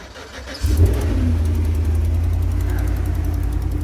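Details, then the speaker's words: 2010 GMC Savana V8 after crank no-start, traced to a likely broken wire from the ECM to the relay: fires quickly and settles into a smooth, even idle. The light tick on top is normal valve or exhaust noise. Normal idle. "and there we go so the valve ticking or the exhaust tick that's normal"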